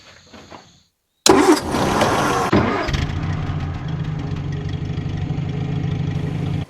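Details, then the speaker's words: 66-year-old Land Rover after replacing a broken valve spring and the parts damaged with it: brief cranking, then it catches first try and settles into a steady, even idle with no misses or ticking. A normal start and idle. "There we go. She's sounding good as well. She lives. She's alive."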